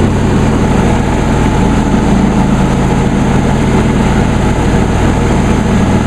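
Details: John Deere D130 lawn tractor, new, running with blades engaged and deck raised all the way up (not cutting): loud, steady, even engine drone with constant low deck hum, nothing uneven; normal running under blade load.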